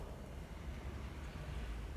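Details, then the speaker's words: Hammer K3/B3/C3-series panel saw or combination machine, with the sliding table running on its ball-bearing system. There is an even, low rolling rumble with no clicks, bumps or grinding as the carriage travels: normal, smooth rolling. "one of the big differences with the hammer range is the sliding tables and this one's locked off siding tables are on a ball bearing system just listen to that"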